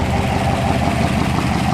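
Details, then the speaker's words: 1964 Ford F250 dump truck running after fuel pump work, with a deep steady idle. Coarse, tractor-like exhaust roar under the hood even though the exhaust system is sealed. Suspected blown exhaust crossover under the intake, not confirmed. "I think your exhaust crossover under the intake might be blown. It sounds like a tractor up under the hood. You hear exhaust noise up under the hood like this."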